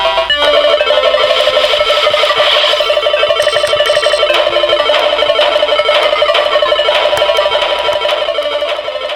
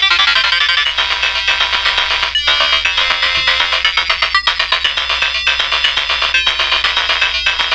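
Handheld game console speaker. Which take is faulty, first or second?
second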